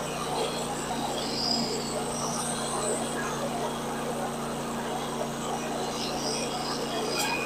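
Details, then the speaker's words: Woodland Mills HM126 bandsaw mill cutting cedar lap siding: under the cutting noise a thin, high chirping squeak comes and goes near the end, from a failing bearing on the non-driven follower wheel the blade rides on; replacements were ordered. "Did you hear that horrible squeak at the end of that last clip? Let's listen to that again. That is the sound of a bearing going out."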